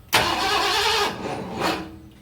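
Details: 1978 Ford F-250 with 460 V8, sat about 15 years, HEI ignition installed, gas poured down carburetor: short crank burst, pause, weaker second crank, never catches; cranks but no start, cause unconfirmed.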